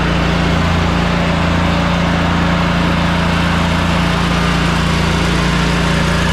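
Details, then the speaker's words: Riding mower with 500 hours, after valve lash adjustment and refitting of the loosened rocker mount, with oil and fluids topped up and the air filter cleaned: it runs at a steady, even drone with no clanking; normal running. "obviously that sounds a lot better guys no more loud clanking noises going"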